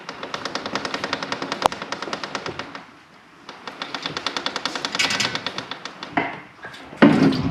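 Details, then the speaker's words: 1972 Kawasaki H2 750 being rolled by hand: rapid even ticking, about nine a second, hitting the same place each turn; owner suspects the chain's master link is rubbing the chain guard, where a silver wear spot shows. "My best guess without really looking is probably the master link is hitting that section and rubbing it off or making the noise."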